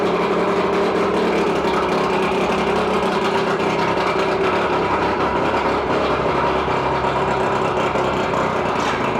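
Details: 2001 Mercury 125hp 4-cylinder oil-injected two-stroke outboard, 20in shaft, freshwater motor, compression 100–105 psi per cylinder: even, busy buzz holding steady speed, no misses, knocks or surging; running normally.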